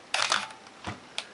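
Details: Minolta X-700 35mm SLR, lens removed, stepping through shutter speeds, here about 1/8 s. A crisp pair of mechanical clicks about an eighth of a second apart, then lighter clicks; normal shutter release.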